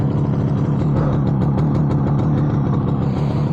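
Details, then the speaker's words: 58-year-old 1967 Yamaha YR1 two-stroke street bike with an unresolved gas leak, owner suspects gas leaked into the cylinders; cold, just restarted after stalling, fast uneven popping with lumpy firing, rough running. "And that didn't last long. It's not running great, but it's running."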